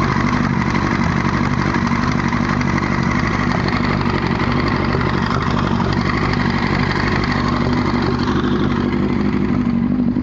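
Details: 1998 Yamaha R1 at idle, clutch not pulled: busy clattery knock of about four beats a second that seems to come from behind the clutch. Suggested causes are valves, cam chain tensioner or clutch gasket, with chain wobble noticed.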